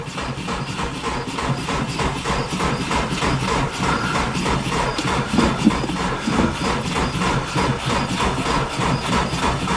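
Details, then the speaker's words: 2002 Subaru WRX wagon, almost 400,000 miles, possibly a newer long block, new battery and fuel: started right up, runs steady and strong with even pulses, no knocks or misses; normal running. "Just got her started and she sounds mean. I mean, it runs really, really good."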